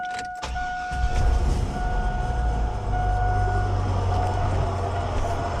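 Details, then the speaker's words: Third-gen tow vehicle, engine running: worn A/C compressor gives a steady mid-pitched whine over rough low rumble, a weird roaring, worse with heat on, something visibly loose flopping inside; replaced with a junkyard compressor. "It makes this really weird, like roaring. And like you can see something like loose down in there, like flopping around."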